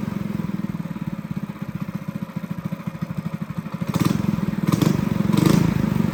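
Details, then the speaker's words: Honda GX200 clone kart engine, carb jet drilled up to a 77 bit, unloaded: steady, even single-cylinder putter that picks up slightly near the end, no misses or sputter; normal running. "So guys, I jetted it up to a 77 on my bit guide there, and she sounds really good. So I think I'm going to leave it at that."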